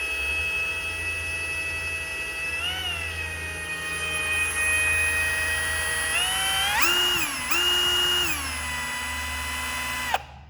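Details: Ford Cyclone engine, new or rebuilt, prelubed before first start by a drill-driven pump pulling oil from the pan into the engine, 10-15 psi on gauge; steady drill whine rising and falling with trigger, then stopping; prelube working normally.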